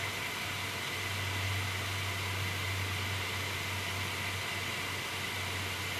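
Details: MSI R7950 Twin Frozr overclocked to 1100 MHz core, 1500 MHz memory, 74–75°C, heard close up: steady loud air hiss with constant low hum, no rattle or ticking, too loud.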